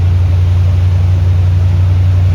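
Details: 1971 chrome-bumper C3 Corvette V8: a deep, steady drone idling far too high, with dieseling expected at shutoff. Cause unknown; timing and idle still to be checked, and the alternator belt also squeaks.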